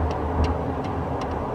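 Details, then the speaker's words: 2013 Toyota Tacoma double cab short bed: light, irregular ticking rattles over a low cab rumble, coming from inside the cab on the driver side under the steering wheel. The source of the interior rattle is unknown. "hey guys this is Gabriel right here my second gen Tacoma I had this weird rattling noise coming from underneath the inside of my cabin driver's side"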